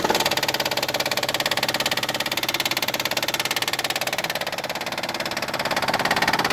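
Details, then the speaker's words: 2004 Hyundai Sonata petrol engine at idle with a loud, rapid, even clicking dominating the run; the noise does not occur when in drive at 20 mph or more. "my 2004 Hyundai Sonata. Making a lot of funny noise at idle. This is at idle."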